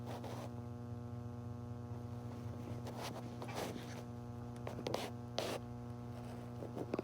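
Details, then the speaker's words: 1956 Nordmende Fidelio 56 3D German tube radio, camera put right by the speaker: steady low mains-pitch hum and buzz with scratchy handling noise; owner unsure whether it is an audio output problem, cause unconfirmed. "I put the camera right now right after the speaker you might be able to hear that buzzing the knots and the speaker"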